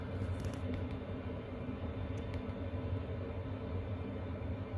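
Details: Chinese diesel heater in a box heating a tent trailer on a roughly 0 °C Alberta morning, 10 minutes in, fan wide open, full temperature bars: steady low blower roar with soft even burner rumble, no ticking or surging; normal heater operation at full output.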